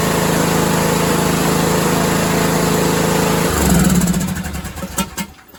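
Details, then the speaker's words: 6-year-old John Deere 100 series lawn tractor: single-cylinder engine runs steady and even at a fast regular beat, then shuts off cleanly, healthy. "okay there you have it we got her running Matthew's going to put this thing out for sale and see how he does with it she runs she runs good"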